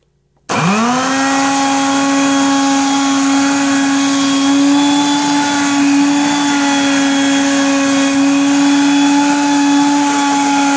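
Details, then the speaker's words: Genie Jet Vac 10-gallon heavy-duty wet/dry shop vacuum during a test run: a loud, steady motor whine spins up and holds a high, even pitch with a faint rough rattle underneath; the motor rattle's cause is unknown until the motor is opened. "And as you could hear that rattling in the motor, I'm not sure what that is."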